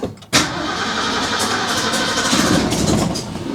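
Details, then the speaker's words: Classic build after a new Pertronix Flamethrower distributor install, battery wearing down: starter spins and it sputters raggedly, almost catching but never settling; spark confirmed, cranks but won't start. "Okay, so we're getting spark. That's a good sign. All right, guys. So, I'm going to leave it there for tonight and let the battery charge back up because we kind of wore it down a bit trying to crank"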